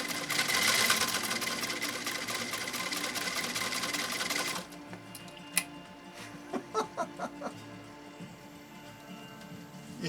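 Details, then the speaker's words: 1923 Singer 66-1 sewing machine with an aftermarket motor on a foot controller: fast needle chatter drops to slow, labored single stitches as the motor bogs, underpowered and straining on thick material. "it growing like hey how am i supposed to do this if you don't give me enough juice"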